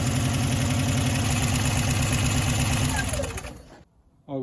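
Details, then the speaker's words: 1989 Subaru Brumby 1800 4WD flat-four after replacing both head gaskets in the vehicle: steady, even idle firing on all four cylinders, then switched off; runs smoothly. "And I'm going to try again. And there we go. Running on all four cylinders again."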